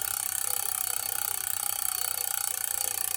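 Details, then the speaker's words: Shimano rear derailleur with cable tension deliberately over-tightened, then eased a quarter turn; while pedaling, the chain is not centered and makes a fast ticking hiss rubbing on the 4th sprocket, from wrong cable tension. "It's actually making a noise and rubbing on the 4th gear."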